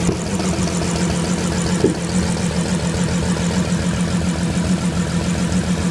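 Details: Bentley Flying Spur 6.0L twin-turbo W12 at idle: low, steady idle with an uneven, stumbling beat, a misfire caused by poor spark plugs.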